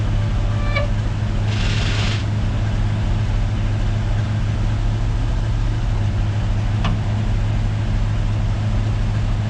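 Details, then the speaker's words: 1977 Ford F600 truck at idle: a short, harsh grinding burst as the winch clutch fails to engage; a frozen cable or too much slack is suspected. "but this is the clutch to activate the winch, and it's not doing its job because that sound, that's probably grinding or something, which I don't like."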